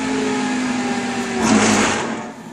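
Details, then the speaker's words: Motor on a Baldor 18H vector drive, faulting high DC bus: steady hum cuts off, then a rough growl swells on spin-down as amps jump to 1.0; owner suspects start capacitor discharging through start windings. "but if you notice when i stopped it last time also you're like a big growl watch the ammeter here as well"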